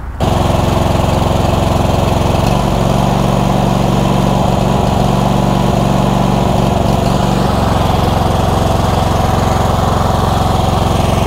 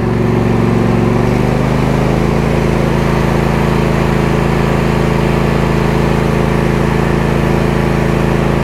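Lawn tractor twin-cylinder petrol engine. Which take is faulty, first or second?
first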